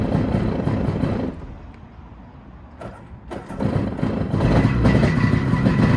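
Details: SeaDoo XP two-stroke jet ski, run out of the water with no cooling water: cranks briefly, catches and settles, then revs rise to a crisp even two-stroke buzz with no misfire or knock; normal start and run.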